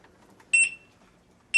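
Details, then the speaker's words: Begode electric unicycle lift test at 100% charge, 99.9 V, wheel free-spinning off the ground to 58.5 mph: two short high-pitched beep bursts about a second apart, the tilt-back speed alarm at top speed. "58.5 miles per hour 58.5 miles an hour and this is at let's see 99.9 volts so basically 100 charge"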